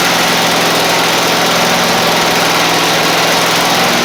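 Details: Husqvarna Z254 zero-turn mower that ran a few minutes then quit, running after a fuel blockage was fixed: a steady, loud small-engine drone at an even speed with no surging or stumbling; a normal idle.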